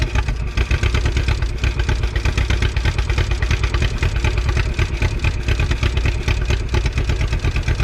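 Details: 1951 Willys CJ3A Jeep four-cylinder with the fuel line gravity-primed: low, steady chugging idle with an even pulse and no knocks or misses, running fine.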